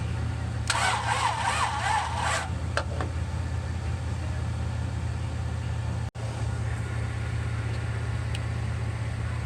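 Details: 1966 Buick Riviera GS with rebuilt heads, battery jumped, starter fluid sprayed into carb: steady even cranking with no firing pulses or catch, nasty backfire spit from the carb; crank, no start.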